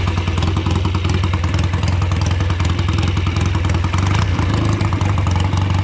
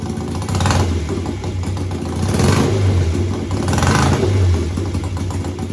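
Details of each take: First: Old BSA twin-cylinder chopper on short road ride in rain after fuel tank cleaning and fixes: rough uneven exhaust beat with one cylinder dropping out, still running poorly, never dies; owner suspects carburetors or ignition. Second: BSA twin-cylinder chopper, home built, revved at standstill with the throttle slides lifted one at a time and then together. Repeated clean, even swells with no stumble: both cylinders fire normally, so the cutting out isn't found this way.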